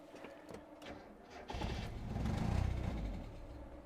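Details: Miata with code 1 fault, after replacing a broken engine-bay part, battery low: weak cranking, catches and swells about a second then sags and dies; starts but won't run, owner suspects ignition switch shorting air-fuel meter system.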